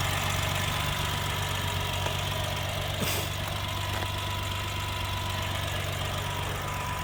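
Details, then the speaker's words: 1988 Suzuki Jimny with a 550cc turbo engine, idling: light, quick ticking over a low hum, said to be normal for these Suzuki engines. "if you're wondering about that ticking thing that sound it's a suzuki thing it just every they all sound like that"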